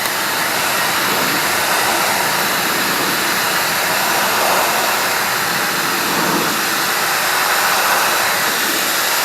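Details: Clean Force 1400 psi electric pressure washer salvaged from the trash, spraying: steady loud rushing spray over an even motor drone, no surging, pulsing or stalling; running normally.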